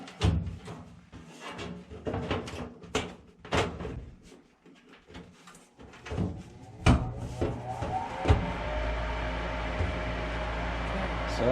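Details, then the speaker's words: Lennox gas furnace after replacing inducer motor, panel safety switch closed: handling clunks, then inducer starts and settles into a steady quiet hum with no grinding or rattle, no noise when moved; normal running. "a lot better see it's not making noise whenever i move this now because the bearing is good on this motor"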